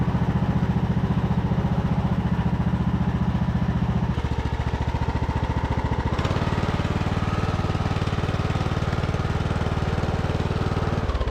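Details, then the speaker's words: Revived Craftsman YT3000 riding mower single-cylinder engine after sitting abandoned for years: steady thumping at a few pulses per second, speed changing cleanly, no squeal or pulley rattle; runs fine. "sounds good to me I don't hear anything pulley sound good awesome"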